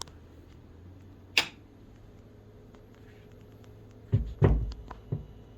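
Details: Total Nuclear Annihilation (TNA CE) pinball, volume at level two, sub volume slightly raised: quiet hum, then a sharp pop at switch-on and a few more thumps seconds later, mostly from the two top speakers; popped since day one, cause unknown.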